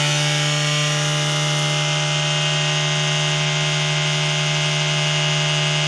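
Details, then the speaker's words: PC at switch-on: loud, steady rasping whirr with a constant pitch, typical of worn case fan bearings grinding. "vendo só esse é o barulho que faz no meio se você acha tá fazendo esse barulho Zão aí incomoda ao ligar né tem solução"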